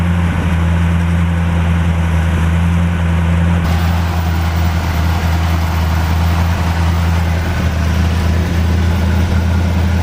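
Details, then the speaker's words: 1949 Chevrolet, first start after sitting, fuel and battery added, more water being added: steady, low, even warm idle with no knock or miss but still smoking, left side much improved; owner suspects a valve/upper-end problem. "You can tell it's still smoking. The left side has gotten a lot better."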